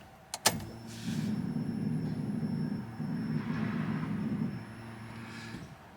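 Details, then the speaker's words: DeatschWerks DW300 340 LPH fuel pump in a Nissan (300ZX/R33 application), heard at key-on: a click, then a steady low hum for about five seconds that stops cleanly; a normal, quiet prime that is inaudible while driving. "yeah this dw pump's actually really quiet i've driven this like two weeks now and uh when when you're driving you can't hear it it's only like this when it primes so let's do that a few more times"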